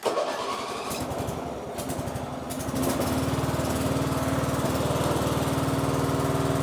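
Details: John Deere S92 lawn mower being built for off-road, after fixing the drive belt: small single-cylinder settles into a steady even chug around four beats a second under load, no knocks or squeal. Normal running.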